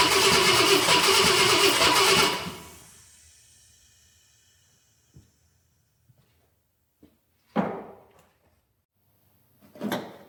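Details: 1966 Ford Galaxie 500 XL, 390 FE V8 during a 4-barrel carb and intake swap: about two seconds of strong, even starter cranking that stops cleanly, nothing dragging; fuel pump throwing fuel, normal cranking.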